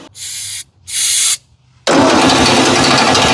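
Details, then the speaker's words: Ford 8N tractor, non-running, after spark restored and starting fluid sprayed in, before carburetor fitted: two short cranking bursts, a pause, then it catches with a sudden loud rush and fires briefly on the fluid. "There we go. Look at that. It was running for a second."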